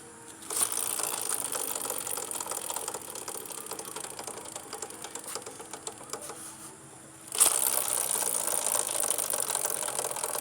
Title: Gixxer chain knocking sound